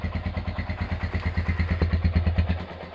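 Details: Honda GL100 single-cylinder engine, roughly 2000–2002, after full rebuild with Aspira piston and rings, CDI ignition, valve clearance 0.10; regular even putt-putt idle about three pulses a second, no ticking or clatter, healthy.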